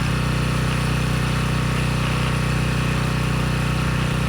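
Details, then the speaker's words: Briggs & Stratton Storm Responder generator after carb cleaned of gelled fuel, water in fuel removed, new brushes and bridge rectifier: even steady low hum at constant speed, no misses, surging or rattles; running well, output 132.5 V, 61.5 Hz. "so either one of those things would have kept this from running but it's running well now"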